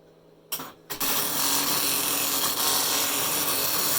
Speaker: with the test being on, when the printer is online, it will not be doing anything, and when we switch it offline, it will start the test pattern.